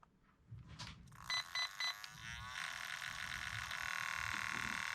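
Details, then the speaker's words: Traxxas Rustler 4x4 VXL after Hobbywing brushless motor repair for snapped shaft, rebinding with set button held at power-on: three short beeps, warbling rising tone, steady high hum; ESC setup/binding mode beeps. "Oh, we've come unbound somehow. Okay. What do you bind these again? Is it the set button?"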